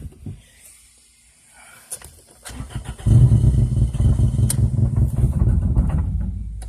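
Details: 2002 Toyota Corolla LE 16-valve with a bad motor, 173,000 on the odometer: long weak cranking, then catches and runs lumpy and shaking, won't take throttle; long crank before start, rough running.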